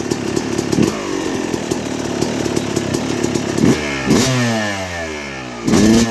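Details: 2006 Yamaha YZ250 two-stroke, first start after a rebuild with new main bearings, seals and OEM piston kit: crisp bark, and throttle blips climb and fall cleanly with no rattle or bogging, normal healthy revving.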